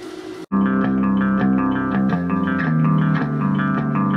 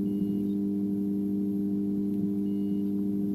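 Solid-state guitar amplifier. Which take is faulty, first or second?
second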